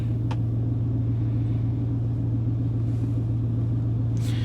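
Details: 1999 Chevrolet 1500 with 5.3 V8, running after crank-no-start repair: deep, steady idle rumble with even beat, no stumbles or misses; normal idle.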